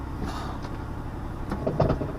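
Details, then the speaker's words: 2002 Pontiac Grand Prix that won't move in gear: low churning drivetrain rumble with uneven clunks while in gear. The axle moves in and out at the transmission but doesn't turn at the rotor, so it is a broken CV axle to be replaced. "So when she puts it in gear, it's moving at the transmission, but it's not coming out here at the rotor and moving. So we'll be replacing the axle."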